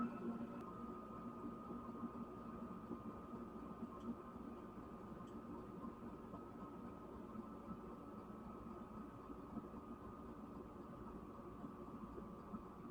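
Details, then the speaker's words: Newly installed Chinese diesel heater (Silvo) slowing down after running hot: quiet, even fan whir with a faint steady tone, nothing irregular; heater working and sounds healthy. "it's starting to slow down now all right so that's great uh that that uh tells me this is working so I have a secondary uh uh source of heat"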